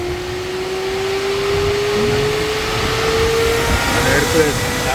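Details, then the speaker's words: 2017 Chevrolet Camaro with cooling fan code, fan activated by scan-tool functional test at increasing duty (30–40% and up): steady clean whoosh rising evenly with speed, no rubbing or rattle; normal cooling fan operation. "cooling fun yeah increase in speed okay 30 40 see you hear it start walking go make it high start walking"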